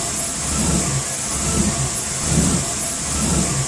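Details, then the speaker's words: Rough idle on a cheap, poorly running truck without AC: idle surges and dips about once a second with an uneven lope; rough idle. "i'ma play you guys a quick video of what the engine sounded like at idle it was a very rough idle"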